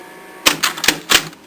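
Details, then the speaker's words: Thirty-something-year-old tape changer in consecutive mode: a quick burst of four or five crisp mechanical clicks as it shuffles to the next tape, no grinding; rewind section screeches and needs greasing. "and that's what it sounds like running fortunately it's not uh in the best of shape right now but it's 30 something years old"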